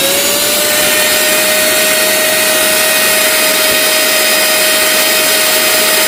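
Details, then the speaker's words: Mixer grinder motor after replacing worn bushes, which caused a loud "kor" growl before: now a smooth constant hum at a steady pitch with no growl or rattle. Normal motor run. "അപ്പൊ നമ്മുടെ മോട്ടോറിന്റെ sound correct ആയിട്ടുണ്ട് ആദ്യം ഇത് അഴിക്കുന്നതിനു മുമ്പ് നമ്മൾ ഓടിച്ചു നോക്കിയപ്പോൾ ഭയങ്കര ഭയങ്കര സൗണ്ട് ആണ് വന്നിരുന്നത് കൊർ എന്നൊരു സൗണ്ട് വന്നിരുന്നു ഇപ്പൊ ആ സൗണ്ട് എല്ലാം പോയി"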